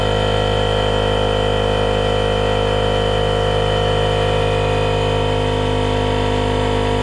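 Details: RIDGID 18V cordless air compressor, Gen5X brushless motor, model R0230, filling its tank to about 100 psi: steady, even motor drone with a constant hum and no knocks or rattles; a healthy compressor run.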